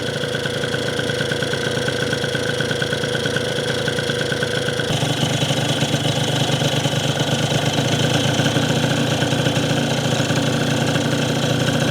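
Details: Yamaha Zuma (vertical Minarelli) first fire-up on a new Polini Evolution 70cc cylinder kit with lots of assembly lube: buzzy two-stroke idle running a bit slow and loping but staying lit, idle low.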